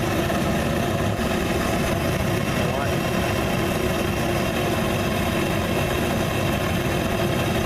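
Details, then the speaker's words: Homemade Frosty T burner with the bigger bell at the regulator's full 20 psi: a loud hissing roar with a ragged, fluttering edge. It runs unstable until half the air intake is covered, then stabilizes right out. "psi it's not very stable like that but as soon as I cover half the intake stabilizes right out"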